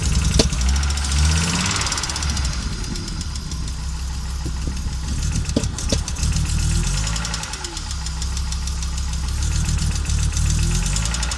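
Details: Audi Coupe after an NG-to-AAR engine swap: hard starting, many misfires, and it stalls while driving. Lumpy idle with an irregular low thudding beat and uneven stumbles instead of a steady pulse. Misfiring, rough-running engine; owner seeks the cause.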